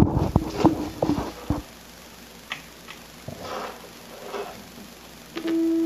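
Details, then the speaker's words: Vintage Electronic Measurements Corporation 802 signal tracer in RF mode, probe on a 1 MHz amplitude-modulated RF signal from a generator: a few clicks, then a clean, steady mid-pitched tone; signal traced properly. "the signal generator is set to produce a 1 MHz RF signal that's amplitude modulated and sure enough we can hear it"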